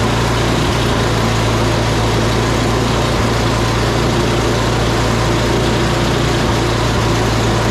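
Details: Salvaged "big red" snow blower started on recoil with choke on and primed, oil looking new, spark plug heat range 2: loud, steady single-cylinder chug at an even speed, no knocking, surging or misfires; normal running.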